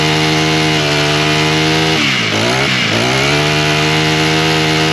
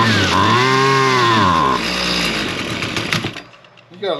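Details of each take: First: Husqvarna straight-shaft two-stroke string trimmer, primed, started on choke, then half choke with throttle: strong, steady high-pitched buzz after a quick throttle dip, no sputter. It runs fine; the owner suspects bad gasoline with trash and possibly some water. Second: Husqvarna straight-shaft string trimmer, two-stroke, started on half choke after purging and two pulls; screams up briefly then revs sag and die within seconds, fires but won't stay running; carburetor adjustment planned, cause unconfirmed. Stalling after start.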